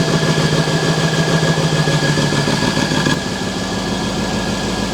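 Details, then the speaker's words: Wrecked Mercedes E63 S V8 first start after fitting a control module, charged battery and clearing crash data: strong, even V8 burble at steady fast idle settling lower after a few seconds, no knocks or misses; sounds healthy. "It's been an absolute roller coaster of a journey, but hitting that V8 made it worth the struggle."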